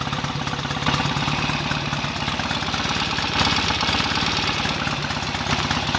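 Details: BSA A65 twin on its first run after a full rebuild, smoky from about 1.5 pints of oil poured into the crankcases. Quick, even firing with a busy mechanical clatter on top, rising slightly on throttle, no misses; ignition timing may need adjusting. Normal running.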